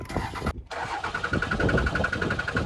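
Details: Ram 2500 Cummins diesel at about 999,900 miles, dead on the roadside: starter churns in a steady rapid rhythm but the engine never catches, no fuel getting through; crank-no-start.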